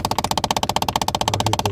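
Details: 2011 Kia Optima 2.0 Turbo, AC on with recirculation pressed, glovebox removed: rapid, even clicking about fifteen times a second from the recirculation door actuator, which is being replaced.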